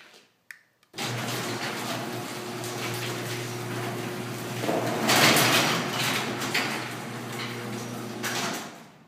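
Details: Garage door running on its opener after a first fix attempt, a metal bar screwed in on the sagging section: steady opener hum, then a loud crunching pop midway as the sagging panel section droops and binds; fix failed.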